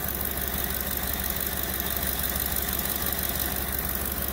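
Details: 2010 Ford F-150 King Ranch with the 5.4 V8 at idle, right after replacing a cracked, ticking exhaust manifold and tightening the Y-pipe: a steady, even low rumble with no ticking or puffing; normal idle.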